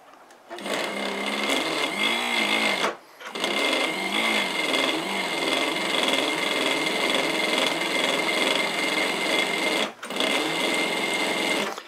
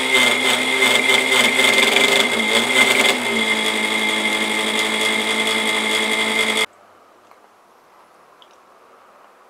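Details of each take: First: Antique New Home sewing machine first getting running again, before the speed adjustment: steady needle and mechanism clatter with brief stops; turning sluggishly. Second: Antique New Home sewing machine after finding the speed adjustment: even motor whir with quick steady mechanical chatter before shutoff; running smoothly.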